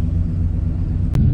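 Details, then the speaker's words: RV after a new fuel pump and new exhaust with a center-in muffler, idling. Nice throaty deep, steady low rumble from the tailpipe with no rattles, puffs or leaks; exhaust healthy. "i like i really do like the sound of it it's got that nice throaty sound"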